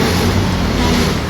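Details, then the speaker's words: Honda Beat 110 scooter, 50,000 km, push start had failed with the relay only clicking; after tightening the battery terminals the engine starts and runs steadily with an even low hum; weak old battery, replacement advised. "Nahigpitan na natin yan mga bossing. Mas try nating i-ignition. Ayan gumaan na yung ating ah push start."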